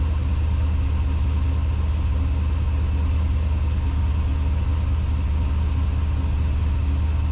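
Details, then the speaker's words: Chevelle with a 370 LS V8 at start-up, cam and short exhaust with mufflers and cutouts: deep, steady rumble with slight cam lope, smooth and even, no knocks; owner notes a faint exhaust tick; normal idle. "I mean, it's fairly short, but the mufflers seem to work pretty well with it. The engine's running really smooth."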